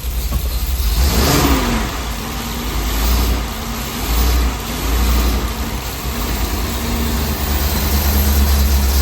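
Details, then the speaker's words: Ford 7.3L Godzilla after an engine swap for failed lifters, with the unplugged air filter sensor reconnected and codes cleared: several smooth revs with no choking, settling to an even idle; normal running. "But now you can see it runs a little bit different. All it was that air filter sensor unplugged. And you see the difference? Now it ain't choking no more."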